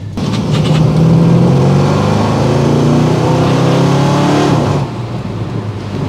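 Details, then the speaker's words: Freshly rebuilt Ford 302 V8 after switching to a Pertronix ignition, cold and still on choke, accelerating on the road: revs pull cleanly, firm steady note, very responsive with no hesitation or misfire. Healthy acceleration. "feels good it feels good very responsive I'm getting no hesitation"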